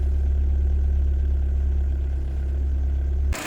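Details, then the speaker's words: Renault Twingo 1.2 16v restarting straight away after a no-start; an engine warning light has come on. The idle is even and low with a steady beat, with no knocks, misses or rattles, running like a clock. "Ah, comme une horloge."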